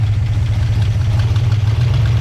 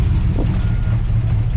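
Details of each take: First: 1959 Plymouth Suburban Poly V8 with solid lifters, started after sitting since Friday with little choke. Deep, even idle with a brief blip; slightly clacky but healthy. The engine is tired and uses oil; charging reads 13.7 volts. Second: 1959 Plymouth Suburban Poly V8 with solid lifters, cold with little choke action: low, uneven idle wavering and sagging, struggling to stay lit and close to stalling; hard to start, runs fine once going.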